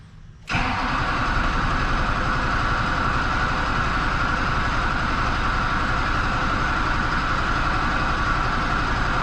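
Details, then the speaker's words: Duramax diesel truck with AirDog lift pump, air in fuel system: extended cranking before it catches, then settles into a steady diesel clatter at idle as remaining air purges; no priming needed. "there we go just takes a little bit of love and that's all that's what's great about lift pumps guys is you don't have to prime anything let the remaining air kind of get out of the truck here"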